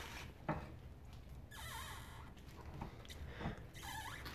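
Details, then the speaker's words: 2010 Hyundai Sonata rear suspension: two drawn-out rubbery squeaks as rear knuckle is turned, from torn, worn pillow-ball knuckle bushing on lower control arm; noise traveled through arm. "I can turn it just a little bit it's like torn and it's squeaking"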